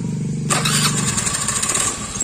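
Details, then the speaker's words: Honda Beat FI scooter that would not start, after finding a peeled sensor wire and replacing the spark plug: brief starter whirr, engine catches within half a second and runs crisp and steady, though it won't hold idle well afterward; starts fine. "Alhamdulillah ya kan bro, motornya udah hidup."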